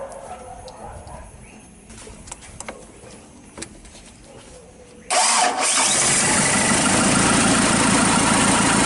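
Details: Mazda B2500 restoration, start after valve cover resealed, oil filter changed and fresh oil added: quiet shop clicks, engine cranks, catches at once, settles into steady even idle with no knocks; normal idle.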